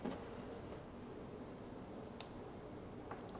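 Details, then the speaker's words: 10W fixed IP camera powered by a 90W PoE++ injector: single sharp click in a quiet room as the network cable is plugged in, showing the camera receiving power after PoE handshake; normal power-up. "Once I plug in the cable, I can hear the camera is making the click sound which means the camera is getting the power."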